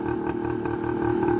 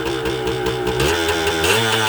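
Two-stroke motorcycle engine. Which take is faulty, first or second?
second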